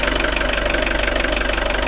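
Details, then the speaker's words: Nissan Terrano diesel with FS5R30A 5-speed manual gearbox at idle: steady fast rumble with faint whirring hum from the gearbox, suspected noisy bearings; owner asks whether it changes with clutch pressed, says boxes run 10–30 years with this sound. "вообще это мусор так сказать болезнь в коробке который проявляется просто шумящие подшипников но при этом там коробкой ездить там 10 20 30 лет с этим звуком"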